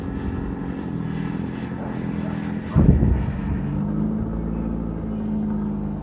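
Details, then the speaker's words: 1995 Ford Escort wagon, old exhaust before replacement: deep, loud, raspy drone from the rear with a brief blip; only the engine-mounted cat muffles it, a six-to-eight-inch hole between cat pipe and rest of exhaust. "but hopefully it was conveyed that this car is pretty ludicrously loud the only actual muffling going on right now is it still has a cat"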